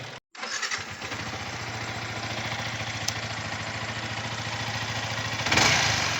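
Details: Yamaha R15 V3 BS6 after rocker arm replacement and valve clearance adjustment, which fixed head noise at 8000 km: engine catches after brief crank, settles to even idle then clean rev, no valve ticking; normal running.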